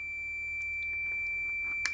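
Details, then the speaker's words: Multimeter continuity beep-test, automotive fuse testing via decade box: a clean, unbroken high beep at 20-30 ohms. It is still beeping. "30 ohms still beeping. 40 ohms still beeping."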